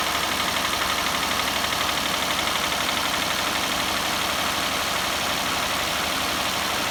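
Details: Hyundai/Kia G6EA engine: under a harsh busy idle, a fairly even tapping knock about four times a second from inside the engine.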